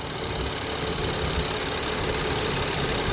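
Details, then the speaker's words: BMW X5 N55 idling after the PCV valve spring in the valve cover was cut shorter and bent even, top not yet sealed, engine not yet warm: steady even idle with a faint valvetrain tick and no squeal; normal idle. "Right now I don't hear any noise, so the spring is lower, and right now I don't hear any noise. So it looks like I fixed the problem."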